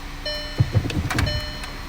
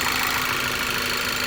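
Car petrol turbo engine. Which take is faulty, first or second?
second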